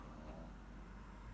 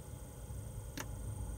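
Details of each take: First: 5 kW Chinese diesel heater heating a home, about 80 hours from new after six days of smoking and stop-start faults, now burning cleanly with no smoke: quiet, steady low hum with even burner roar, no surging or sputtering; running normally. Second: 5 kW Chinese diesel heater, fuel pump slow to start after switch-on: two sharp ticks about three-quarters of a second apart over a low rumble, air bubbles in the line; pump then picks up and works normally.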